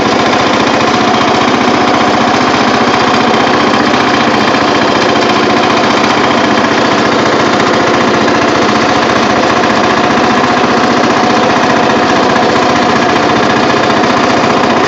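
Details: Murray riding mower with a rebuilt engine, idling on a cold 50°F day before a test run: a fast, steady, even chatter with no misses or knocks, running healthy; it smokes a little but has plenty of power.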